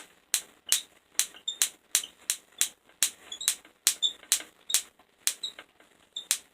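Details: Van de Graaff generator zapping a negative electrode, lighting up a tube: sharp dry snaps, roughly two a second at uneven spacing, with silence between; normal spark discharge, no heavy arcing.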